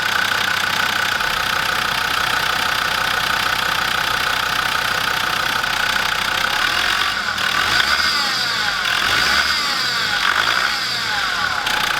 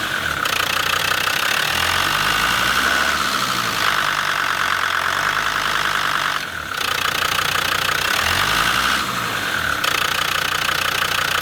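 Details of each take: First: Land Rover Defender TD5 diesel idling with a high chirpy twittering from the belt drive, traced to worn idler pulleys; belt tensioner already changed, idler pulleys and fan belt replaced to cure it. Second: Land Rover Defender TD5 diesel after replacing two idler pulleys, belt and tensioner: steady even idle clatter, belt twittering noise gone; normal idle after repair.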